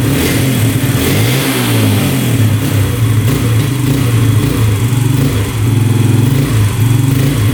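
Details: 2011 Yamaha Raptor 125 quad after fuel tank unclogged: single-cylinder thumps unevenly and surges, revs rise and sag instead of climbing; runs decently on choke but stalls and won't rev with choke off, as seller described.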